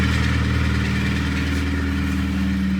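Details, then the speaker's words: 2011 Kia Cerato 2.0 G4KD, automatic, 184,000 km, at idle: steady idle with hard fast metallic clatter from piston slap in scored cylinders, plus rattling from accessories; engine to be torn down, block sleeved and fully rebuilt. "звуки мира из этой машины исходят задиры что-то по навесному и так далее бренчит сильнейшим образом"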